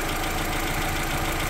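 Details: Renault Twingo Mk1 with a new catalytic converter fitted (P0420/P0136 codes), car on ramps, cat warming up: steady idle with an uneven, slightly lumpy beat under a rough exhaust hiss. Choppy idle; no exhaust leaks found, cause unknown.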